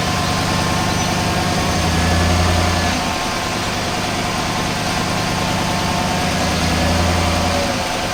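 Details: Chevy Silverado V8 at 72,000 miles, after a flush and a change from 0W-20 to 5W-30 oil, idling. A steady, even low hum with no ticking or tapping; the owner says the engine sounds better than before.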